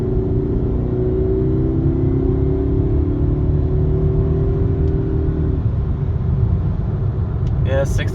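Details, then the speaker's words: Mercedes C230 after addressing driveshaft noise (rubber pieces thought to be hitting heat shields): steady road roar with smooth drivetrain hum easing off, no clunks or vibration. "everything's fine so it's definitely the problem"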